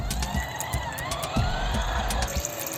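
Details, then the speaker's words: Portable washing machine in a bucket loaded with two t-shirts and underwear: water sloshes over a motor hum that wavers and falters with irregular knocks, and the agitator stops and fails to move the clothes. Agitator stalling. "Let's connect and see if he can handle this. Oops, that sounds bad, it even stops."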